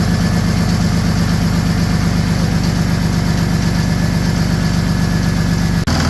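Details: Ford Ranger with swapped Mercedes OM603 diesel, Ford ZF5 transmission, first start after priming fuel and hot-wiring glow plugs, throttle held slightly open; good oil pressure. Steady low diesel clatter at even idle, no misses, until shutoff. Normal diesel idle.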